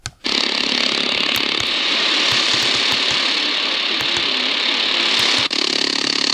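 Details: Prunus J-168 portable radio on shortwave: harsh buzzing hiss with fast irregular ticking swamps barely audible WRMI Florida; RFI comes from the radio itself, not the house.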